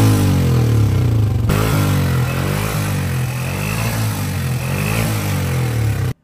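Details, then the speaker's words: 2011 Honda CG 125 motorcycle engine revving: single-cylinder thump with loose top-end clatter on each beat, worn push rod valve train noise; also smoking; top overhaul planned. "इस bike के engine के अंदर भी बहुत सारी आवाजें हैं आपने सुनी, और स्मोक का भी इशू है।"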